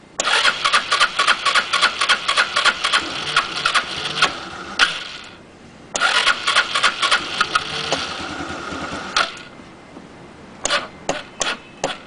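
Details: SYM Xpro100 scooter: three bursts of fast starter cranking, about three to four turns a second, and the engine never catches; it won't start.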